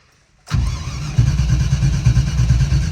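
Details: Classic Range Rover 3.9 V8, abandoned and neglected for years, petrol added, steady fast cranking around three beats a second without catching; crank-no-start, owners suspect bad old fuel with water.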